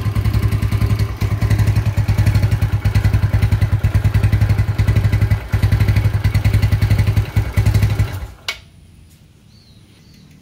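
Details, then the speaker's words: 2007 Yamaha Mio Sporty scooter carburetor engine, inspected as a restoration project: idle won't hold, rpm sags and surges unevenly before shutting off; carburetor suspected faulty, owner plans carb service and internal parts replacement. "karbu ini sepertinya udah nggak normal, karena karbu ini nggak mau langsam. Ketika di setel langsam, untuk langsam ini naik turun."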